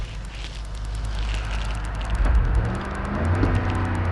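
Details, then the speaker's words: 2008 Ford Explorer XLT 4.6L 3-valve V8 idling smoothly at rest with an even beat; owner reports misfire and shaking when cruising under throttle, often misdiagnosed as torque converter; normal idle. "hear the engine working right perfectly fine but when you start driving cruising alone you're just driving and if you're feeling the gas the cost start shaking"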